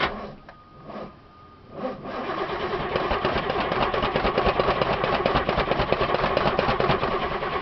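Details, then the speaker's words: 1989 Ithaca Suncruiser 31ft motorhome, Chevy 454 V8, 28,000 miles, sat about six months, run on a battery box with good oil pressure; starter grinds, engine catches, runs rough briefly then dies, as before; owner unsure if fuel pump or bad gas; stalls. "so that's the same thing it did last time it died on me and then it would and start again"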